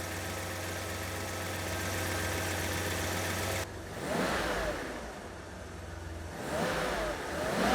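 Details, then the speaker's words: BMW E31 850i V12, revived after ten years stored, idling smooth and even with light rev blips after the timing chain tensioner was replaced (new piston and O-ring); the earlier chain noise, normally heard within 20–30 seconds, is gone. "No noise! It is working beautifully. There's no more noise."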